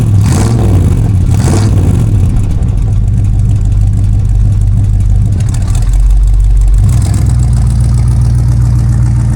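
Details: Big-block Mercury with new DIY dual exhaust, 2.5-inch pipes from the manifolds back with Thrush glasspacks and turndowns, first start after install: deep loud rumble catches, swells with throttle blips and settles to a steady burble; healthy big V8, louder than expected.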